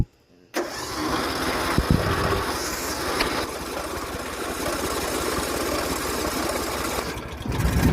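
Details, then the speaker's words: John Deere S130 riding lawn tractor starting on full choke right after an oil change conversion kit install; catches right away and settles into steady even idle, no stumbling or knocking: normal start. "Okay guys, we're gonna start it up and see how everything runs."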